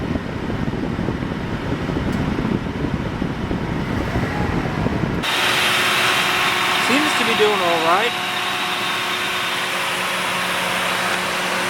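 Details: Ford Crown Victoria engine just fitted with a used junkyard alternator, first start to check charging; after background noise, a smooth steady idle with a faint constant hum, no squeal or flutter: normal idle, charging and running normally.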